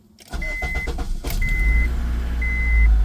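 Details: 2002 Acura RSX with K20 engine, first start after starter replacement (intake manifold removed for access): a few chimes, brief starter spin, engine fires immediately and settles into a steady, rising run; normal crank and start.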